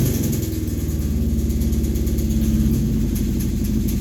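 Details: Kawasaki Brute Force 750 V-twin with a lumpy idle and a deep click, tick and rattle that comes and goes as it revs. Teardown found a blown crankshaft bearing.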